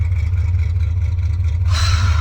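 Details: 1985 Chevy Champion G20 campervan 350 V8 after new spark plugs and wires, freezing weather, hood not closed: deep steady rumble with even firing and brief rattle at end, pulls cleanly; normal revving.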